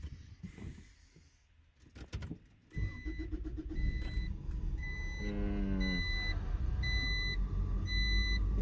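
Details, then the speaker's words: Acura Integra with random hard start and idle issue, next-morning cold start after idle air control valve check: cranks, catches, settles into uneven stumbling idle with background chime; still rough, owner suspects misfire or spark problem. "So it's still rough. It's kind of like it's not firing right, like, you know, spark or something."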